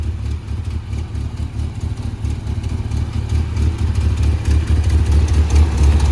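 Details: Rebuilt engine in a 1981 Toyota Pickup 4x4, first runs after rebuild, Weber 32/36 carburetor and performance cam: deep, choppy low thump about four pulses a second, lumpy but steady; healthy idle with the hot cam.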